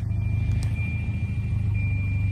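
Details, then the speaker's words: 240 after fixing no-start by splicing a hidden inline fuse: started without gas, steady even low idle with no misses, knocks or stumbles; idling smoothly and healthy. "starts great now runs better than it did before that was without giving it any gas"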